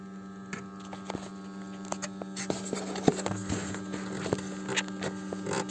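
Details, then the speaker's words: BMW 520i E60 auxiliary electric coolant pump running with ignition on and engine off, heater at maximum, during coolant change and bleeding; phone held close: steady low hum with vibration and audible water movement plus handling clicks, pump working normally. "maintenant on va y aller et tu verras comment fonctionne la pompe tu peux entendre si on met la main dessus on remarque qu'il vibre on entend même l'eau bouger"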